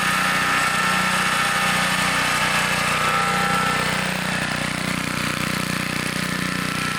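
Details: 1960s Bolens Lawn Keeper 28-inch riding mower cutting grass with deck raised: steady buzzing small engine under load with constant blade whirr, no stumbles or surging; mower running normally.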